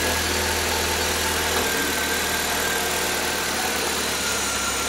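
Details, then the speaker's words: 1.3L four-cylinder from a 1999 Suzuki Swift (113,000 miles), new gaskets, timing belt and water pump, hovercraft conversion, makeshift exhaust, belt drive disengaged: even hum dropping smoothly as revs ease, airy intake hiss, no knocks or misses; normal revving. "you can hear a little bit of suction of the intake here not sure it come through on video camera but it uh looks pretty good sounds good"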